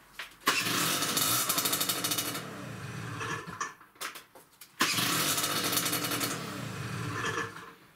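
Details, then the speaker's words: Peugeot Speedfight 2 50cc two-stroke scooter before cleaning the air filter and checking the rollers: two quick starts, each catching at once and settling into a steady raspy, buzzy idle; normal start and running. "did any notice how well that started bloody well"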